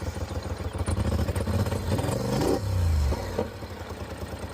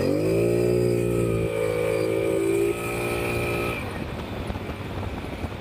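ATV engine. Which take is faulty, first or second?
first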